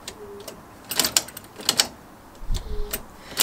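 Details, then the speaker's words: 1998 Toyota Corolla E11 4E-FE, testing ignition wires while fitting a push-to-start button: sharp dry clicks in short bursts with no cranking, starter solenoid chattering because the battery is fully flat. "so I'll hear that noise because the battery is just fully flat"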